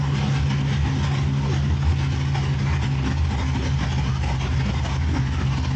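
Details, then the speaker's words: Cadillac CTS-V engine rebuilt after water intrusion bent a rod and broke a piston; now running, coolant bled, no leaks, fantastic oil pressure; motor mount bolts still snapped. Deep, smooth, steady idle rumble, no knocking or tapping; normal idle. "But it runs, bled the coolant, there's no leaks. Sounds like it's running good, has fantastic oil pressure."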